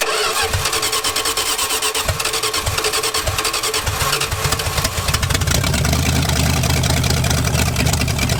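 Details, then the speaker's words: V8-swapped 1946 Dodge Deluxe fed from a gas can, on open headers: cranks, catches, then settles into a loud, steady rumble with no knocks or misses before a loose fuel fitting leaked; normal running. "that's the longest this car has run since I've had it sounded pretty dang good open headers right now"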